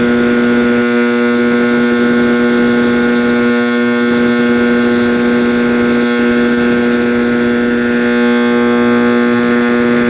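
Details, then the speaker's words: 1960s General Electric black-and-white TV, back off, warming up after rewiring: a loud, steady low hum with a howl on top that never changes pitch; owner suspects an internal capacitor, not the tube, unconfirmed. "I bet the tune's okay. I bet this is some internal cap. So, well, that sounded a little different, didn't it?"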